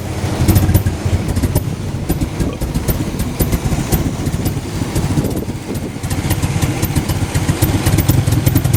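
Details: Toyota MR2 idling unevenly, exhaust beat dipping and surging every few seconds; rough idle, cause not evident.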